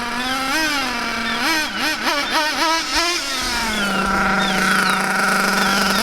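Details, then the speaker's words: Rich high-speed needle on a nitro Mac 28 engine in a Hyper 7 buggy: burbly, soft blips that rise and sag before settling into a lazy drone, heavy blue smoke, sluggish and far below the expected 35–40 mph; set very rich. "see a rich set look at all that smoke and just look how slugish this car is that's not rich this that there is tooy [Applause] that is a very very rich very very rich"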